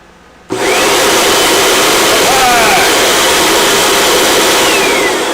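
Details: Hoover WindTunnel Rewind upright vacuum, switched on after cord-rewind repair: motor kicks in abruptly and settles into a steady, even high-pitched whir with no stutter; problem found and fixed, running normally.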